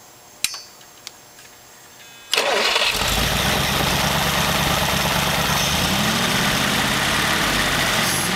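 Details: Studebaker engine with a new Evans intake manifold, warm restart after its first run: quick crank catches at once and settles into a steady, even idle with no stumble; normal warm start.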